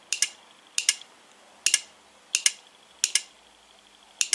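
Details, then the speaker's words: Automotive/motorcycle relay bench test, battery across coil pins 85 and 86: crisp double clack on each energizing, six sets about a second apart, all alike; relay switching normally. "Entonces por el sonido en principio suena bien."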